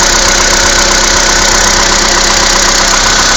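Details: Skoda Fabia II 1.6 CFNA, cold start at −16 °C, just over 22,000 km: a steady light knock of about two to three beats a second rides over the idle. The cause of the knock is unclear.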